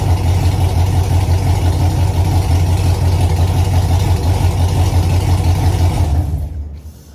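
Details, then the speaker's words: Cadillac CTS-V with newly installed Texas Speed heads and cam, first start without a tune: deep lumpy V8 idle, uneven loping pulses about three per second before shutting off; rough idle from untuned cam. "And it fired up, and I was trying to tell my brother that it's not tuned, so it doesn't soun"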